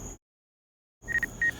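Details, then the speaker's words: DJI Mavic Air 2 controller during auto tracking among trees: a quick triple of short high beeps, then longer evenly spaced beeps, the obstacle collision alert. "Alright, now you can hear the beeping. The beeps is the collision alert that comes from the controller."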